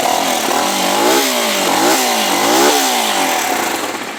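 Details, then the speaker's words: New Jector motorcycle after swapping the louder exhaust for a new one: engine blips and settles three times, smooth even note without misses, quieter mellower exhaust, normal running. "Bueno, amigos, lo que esperábamos, el sonido ha cambiado. Con este tubo de escape la moto tenía un sonido más fuerte, como ustedes lo han escuchado. Y con el nuevo cambio de tubo, amigos, que le hemos hecho, tiene un sonido más suave, miren."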